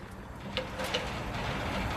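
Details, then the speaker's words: AZ Patio HLDS01-WGTSS patio heater after fitting a new tip sensor and igniter, gas on and lit. A steady soft rushing roar with faint clicks, flame holding as it is turned up to high; the burner is working properly. "Flame is still going, which means that tip sensor is working as it's supposed to."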